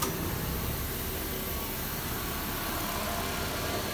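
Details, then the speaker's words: Nissan Versa on lift during rear wheel bearing diagnosis, wheel spun: even smooth rushing spin with no growl, rumble or knock and no vibration felt at the spring; this side's wheel bearing is good. "so we know for sure this bearing is good because if the bearing is bad you can feel it like you can throw the vibration from the spring"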